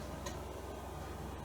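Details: Restored Commodore Amiga 600 with a serviced floppy drive, booting the Amiga Test Kit disk: a quiet, even ticking and low whir as the head steps steadily through the disk; the drive reads normally.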